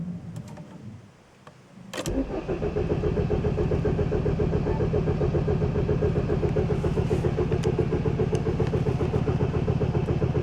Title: Vectra B 2.2 DTI Startproblem / Wont Start